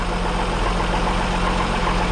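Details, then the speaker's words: 1961 Ford Falcon Delivery warming up after exhaust leak repair (66 Mustang manifold, mixed-year parts); steady even low idle, no puffing, ticking or hissing at the exhaust; much quieter, somewhat smoky. "wow nice quiet now guys we don't know how long it's been since actual exhaust has gone through that muffin an entire piece of pipes"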